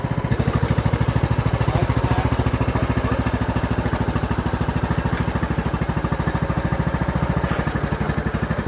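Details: Free Craftsman LT3000 riding mower said to have a rod knock, engine restarted after work: steady even single-cylinder thump at settled speed, no knock or clatter; normal running.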